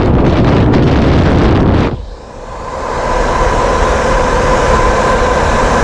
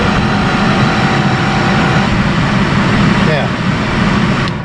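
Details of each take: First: 1972 Mercedes-Benz 280 SE 4.5 (W108) AC cabin blower motor after cleaning and lubricating to cure screeching, bench-run on 12 V battery: spins up to a smooth steady hum with no rattle or grinding; normal blower motor run. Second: 1972 Mercedes-Benz 280 SE 4.5 (W108) AC cabin blower fan: a thin, steady wailing squeal over the fan's rushing air that slides down in pitch as it slows; the motor bearings need cleaning and oiling.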